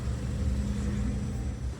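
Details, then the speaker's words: 2016 Kia Soul 1.6 L with P0300 misfire, idling with new spark plugs: rough, uneven, lumpy idle. Unplugging the coils on cylinders 3 and 4 changes nothing, so only cylinders 1 and 2 work; the coils were found defective. Misfire on two cylinders. "El uno y el dos están trabajando y estos otros dos no. Porque al desconectar los coyos de estos dos, el motor parece que no hicieran ninguna diferencia, no se busca apagar y eso significa de que solo estos dos cilindros están trabajando."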